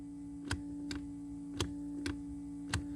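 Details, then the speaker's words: 1991 Camaro passenger power window: pressing the button gives single sharp clicks about once a second over a steady electrical hum, no motor spin, window doesn't move; voltmeter doesn't drop; owner suspects the window motor, voltage not yet checked. "the passenger side window roll down so if you you push the button no power but when I push the button do you hear"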